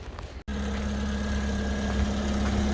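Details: Car restarted after the battery gained some charge. A steady, even low idle after a short gap with no knocks or misses; the engine runs smoothly, normal idle.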